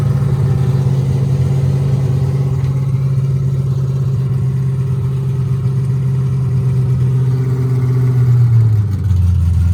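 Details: C5 Corvette drift-car build at first start-up with a new battery and the O2 sensors installed: a deep, steady V8 burble holds an even idle with a slight rise, then the pitch drops as it settles; it runs clean.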